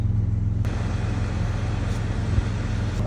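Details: 2015 Dodge Challenger after realigning and refitting the passenger-side HVAC blend door actuator that caused dash ticking; steady low engine rumble in cabin, no ticking or clicking from the dash; normal HVAC operation.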